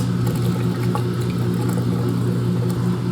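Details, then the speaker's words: Maytag MHW5500FW1 front-loading washer, after replacing the drain pump motor for an E01 F09 failure-to-drain error, on a test cycle: steady low hum with constant motor tone and light water gurgle, no grinding or rattle; normal drain pump operation. "And so we completed the first wash cycle there, and now do you hear that? Hear that beautiful drain pump running? I think we're back in business, guys."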